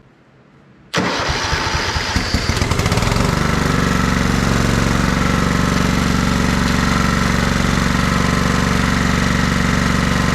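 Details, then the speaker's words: Kohler Command 16.5 hp engine in a free Craftsman riding mower, long stored: cranks, catches within a second and settles into an even idle around 200 beats a minute with no misses, burning junk off the muffler; running good. "Well, it's running good. It's burning a lot of junk off of that muffler."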